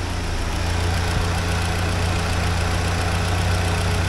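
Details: 1979 Porsche 924 after half-hour running, fuel pressure steady at low 3.8 for 20 minutes, water around 62°, radiator 53°, after warm-up regulator adjustment: smooth low even idle, no hunting or stumbling; normal idle.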